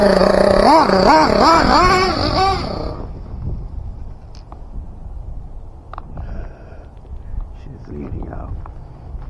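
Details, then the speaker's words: Team Associated MGT nitro truck engine after leaning high-speed needle a full turn: screams and wavers on throttle, then cuts dead at full throttle and runs dry; mixture too lean, engine getting hot. "woo full throttle she turns off all right right so she's running [Music] dry Full Throttle she's drone"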